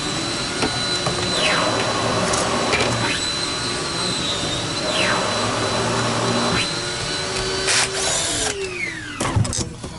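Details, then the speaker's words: Dyson DC28 with the cleaner head flat on the floor: rough, unsteady whine whose pitch sags and recovers as the motor is dying. "So this brush roller works, but when it's flat on the ground, You hear that motor is dying."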